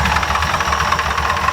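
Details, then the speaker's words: Ford F100 V8 with high-rpm wear and a suspected bearing fault in the bottom end, good oil pressure: steady idle with a lumpy, uneven exhaust beat and knocking edge, the exhaust sucking air back in; dead or misfiring cylinder. "so you see how it kind of sucks my hand back in so if you have a dead dead hole or a misfiring cylinder it'll actually desell and suck air back in that's what's going on right there"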